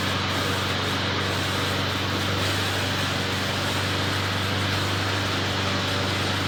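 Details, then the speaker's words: McLane mower, rear lifted so the freshly lubed drive chains freewheel without driving forward: even, steady small-engine hum, low constant drone, no knocking or rattling; runs smoothly and quietly, readied for sale. "so so doesn't run too bad actually as you guys saw picked up the ass in to uh let the chains kind of freewheel on their own without actually having to drive the mower forward"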